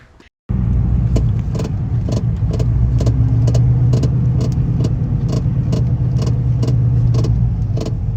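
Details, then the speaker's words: Car driving on road, shaking left to right: sharp, fairly regular tick about four times a second under road rumble; knocking while driving, owner suspects air bags or a loose wire, not confirmed. "hopefully find out what's causing that noise which for you guys to hear I'm going to insert another video from last night of how it was sounding it does not sound right whatsoever"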